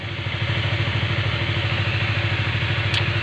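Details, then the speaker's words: Honda CBR150 LED that came in with a noisy engine, after cleaning the oil passages so oil reaches the cylinder head: an even, soft single-cylinder putter at steady idle with no clatter or ticking. "Eh sudah bagus kembali dan suaranya pun halus tidak Berisik"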